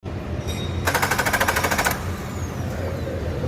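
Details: Nissan Maxima: about a second of quick, even starter cranking that never catches, then quiet; crank no-start, crank sensor suspected, unconfirmed.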